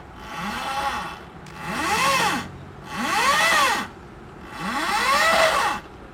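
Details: Honda Revo converted by BRT from petrol engine to plug-and-play electric motor (dynamo); clean whine climbs and falls with each of three throttle bursts, smooth pull from low speed, no grinding or clicking; motor runs normally.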